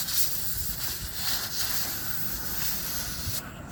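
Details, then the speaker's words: Sharp steady hiss of air escaping from a nail puncture in a car tire, cutting off near the end as an adhesive plug coated with rubber cement is pushed in with the tire tool and seals the hole. "You can hear it's going away because it's plugging the hole."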